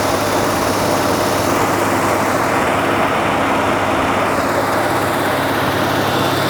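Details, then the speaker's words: 1980 Rover 3500 SD1 Buick-derived aluminium V8 after total rebuild: loud, even roar at steady speed with no knocks, ticks or misses; much louder and smoother than before. "Non suona male, però. - Suona bene. È molto più rumoroso di prima. Molto più forte."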